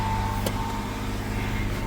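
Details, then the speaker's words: 1998 Ford Explorer, about 199,312 miles, sat five years, just fresh oil, old spark plugs, not yet warmed up: engine holds a steady raised hum well above normal idle with no throttle input; high idle. "It's idling real high. Okay, getting a little bit better response now."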